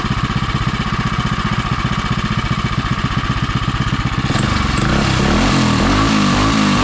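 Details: Predator 212 (Monster 212) single-cylinder in Mega Moto minibike with new thick-flange custom exhaust V2.0 and wrap, warming up: even thump at idle then smooth rev rise, no misses or knocks, sounds really good; normal running.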